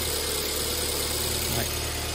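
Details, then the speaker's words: 2008 BMW E90 318, cold start after replacing faulty fuel injector that caused multi-cylinder misfire: steady, even, smooth idle, slightly high when cold, no stumble or misfire. "that has actually started really really smoothly um I'm going to connect the OBD while that is running and check for any fault codes but it's running smooth very smooth actually so I'm actually quite happy with that"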